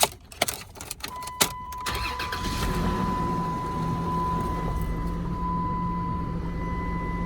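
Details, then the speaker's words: 2005 Dodge Dakota, 177k miles, at an insurance auto auction: starter cranks briefly, engine catches quickly and settles into a smooth, steady idle with no knocks or misses; sounds good. "This one actually sounds good."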